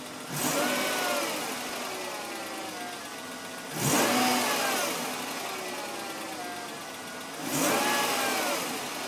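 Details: BMW M52 engine: three short revs a few seconds apart that rise and settle back to idle, with an odd extra noise following the revs; cause unclear; abnormal engine noise.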